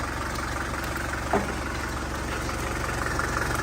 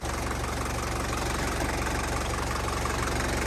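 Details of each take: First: 1981 Mercedes diesel, running after sitting about 15 years: a steady idle with a faint, uneven light tick about three times a second. A pair of channel locks chewed by the belt was striking the fan. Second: 1981 Mercedes diesel, about 245,000 miles, sitting 15 years, started after glow plugging: steady, even diesel clatter at idle with no misses or odd knocks; a healthy running diesel.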